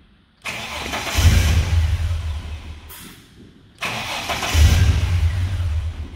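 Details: BA Falcon RTV ute with intermittent cutting out and no fault codes: the engine cranks and catches, dies within about three seconds, then cranks and restarts; scope tests point to a fueling problem, with the injectors intermittently not opening.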